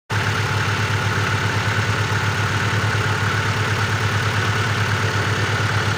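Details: Great Wall Safe engine at cold idle: regular tapping beat that stays fixed with engine speed; engine knock when cold, cause not yet known.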